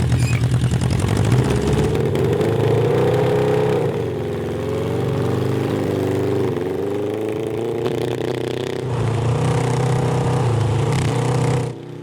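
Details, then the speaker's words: CB750 750cc cross kart engine, back on factory jets with homemade air pod; fine at half throttle or below but the note turns ragged, breaking up at high throttle above 7,000 rpm under heavy load. "it's fine as long as you're like half throttle or below"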